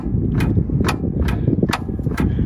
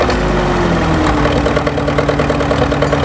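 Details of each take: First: Caterpillar D4 7U dozer with HT4 Traxcavator loader, revived after years in a pasture, cleaned battery cables and two batteries; sharp solenoid clicks about twice a second, starter never turns; starter likely needs rebuilding: starter solenoid clicking, no crank. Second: Caterpillar D4 7U dozer with HT4 Traxcavator loader, first start after many years in a pasture and a new starter and solenoid: falling starting tone gives way to a steady, slightly uneven diesel beat around two per second; runs normally.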